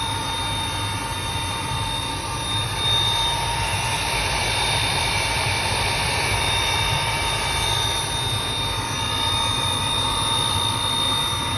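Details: Riello 40 F5 burner with a thin, steady high squeal over the even roar of the running burner. Probable cause is a dry or worn motor bearing (sealed, no lubrication points); suspected, not confirmed.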